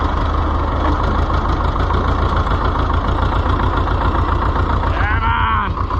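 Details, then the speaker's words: Oliver 1355 diesel tractor (possibly Heritage edition) running for the first time after a new fuel pump install; heavy clatter at steady idle with an uneven knock, owner says injection timing is close if not exact. "on got it ah yeah it's if it's not in time it's close"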